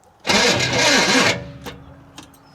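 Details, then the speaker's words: 1966 Chevrolet Impala SS parked over 10 years; about a second of laboured cranking that never catches, slow cranking; owner suspects a failing starter or electrical problem. "yeah I think that starters either the starter's having problems or we got an electrical problem"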